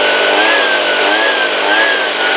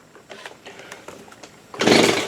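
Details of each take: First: Stihl two-stroke leaf blower after carburettor replacement, run at high speed: steady high-pitched buzz holding even revs without stumbling or surging until shutoff; runs smoothly, idle still to be fine-tuned. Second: Stihl BG85C leaf blower after carburetor replacement, choked, primed: faint clicks then a rasping starter-cord pull with no firing; the stop switch was left off. Cranking, no start.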